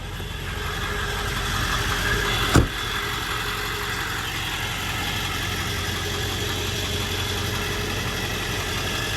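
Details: 1999 Ford F-350 Lariat Super Duty 4x4 with the 7.3 L Power Stroke diesel and 46,385 original miles: a quiet, even idle with a low steady rumble, one brief click, and no knock or miss. Normal healthy idle.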